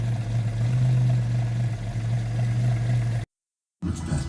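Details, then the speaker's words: Classic car with points ignition after the plugs were overhauled and the points gap reset. One sooty plug had not been firing. Low, even tick-over at a steady beat of about four per second with no misfire or stumble, idling smoothly. "But now, I'm pretty happy with what's going on now here. That's ticking over nicely."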